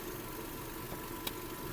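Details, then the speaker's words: 2008 VW Golf 5 1.6 MPI petrol, 198,000 km, at idle: a quiet, smooth, even hum with no knocks, no smoke and no misfire. Engine runs normally. "автомобіль замівся співтику не димить не троїть Мотор працює тихо рівно"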